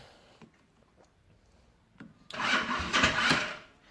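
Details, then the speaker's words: Jialing 125 cc four-stroke scooter, stood outdoors five years: short sluggish starter whir with a few labouring turns, engine never fires; battery partly drained from direct-powered testing, needs recharging. "заведу не завидую не заведут потому что у нас мы тестировали тут всякие приборы от аккумулятора напрямую и у нас немножко под разродился надо его подзарядить"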